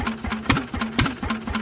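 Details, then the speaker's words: Old Lister single-cylinder engine at its first start in 40 years, with cooling tank fitted and needing some choke: slow, even thumping at about four beats a second with no big-end knock; normal running. "but as you can hear she's got no big end knock mechanically she sounds lovely"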